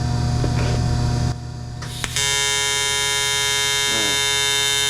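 Steady, even crackling buzz from the arc once it strikes, holding a constant pitch; a normal AC arc on aluminium.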